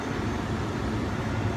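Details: 1989 Mercedes-Benz W126 after replacing the squeaky cabin ventilation blower motor with a used eBay unit: steady, even airy rush on low speed, no squeak or rattle; normal blower operation.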